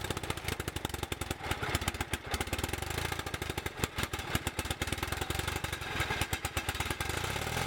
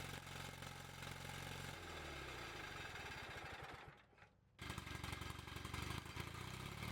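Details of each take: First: Bolens QT17 garden tractor single-cylinder engine, first start after oil change, points set, carburetor refitted with new gasket and air element: catches and settles into quick, fairly even putter about eight beats a second; later smokes white and races when warm. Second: Bolens QT17 garden tractor single-cylinder engine just started after oil change, points set and new carburetor gasket and air element: rough uneven low-idle chuffing, brief dip then recovers, heavy white smoke; after warming it revs incredibly high, cause unknown.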